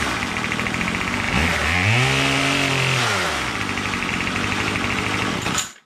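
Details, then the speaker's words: Troy-Bilt TB22 two-stroke trimmer with new carburetor, fuel screws at factory setting, after tightening a loose Torx bolt: steady buzzy idle, one clean blip up and down, settles evenly until shut off; idles great. "starts just fine now and it idles great um weed packers itself don't idle very well on most models if you don't tweak them you know"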